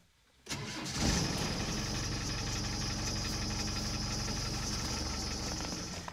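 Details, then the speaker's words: Land Rover Defender 300 Tdi diesel started with the bonnet up, cranking, catching and settling into an even clatter with a thin high squeak from the belt tensioner, a very minor common issue. "you could hear that squeaking from that tensioner again that is a very minor issue especially on these 300 tdi's"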